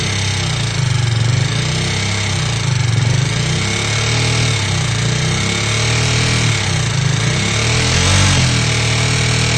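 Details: KTM Duke 390 V2: loud metallic clicking and rattling, louder on the left side, rising with revs. Gasket maker blocked the head oil passage, so the nozzles stopped spraying the camshafts; valvetrain clatter from oil starvation.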